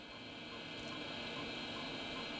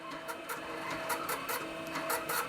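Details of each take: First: Hard drive in a restored early-1990s Dell 486P/20 (486SX 20MHz, MS-DOS 6.2/Windows 3.1), about 3/4 full, checked during a disk scan: even high whir with a faint, consistent, non-wavering bearing hum and no seek noise; drive healthy apart from slightly noisy bearings. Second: Floppy drive in a restored early-1990s Dell 486P/20 (486SX 20MHz) reading an older version-3 software disk chosen because the version-5 disk surface looked ropey: irregular bursts of clicking and rasping seek noise, stopping and restarting; drive struggling to read. Disk condition suspected, not confirmed.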